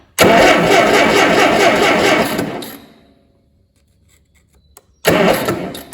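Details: Allis Chalmers D17 tractor engine, first start attempt in the chassis: steady starter cranking for about two seconds that never catches, a pause, then more cranking. Owner suspects dirty, not-new distributor points.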